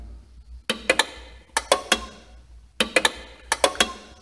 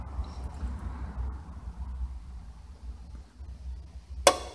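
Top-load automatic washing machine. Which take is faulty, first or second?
second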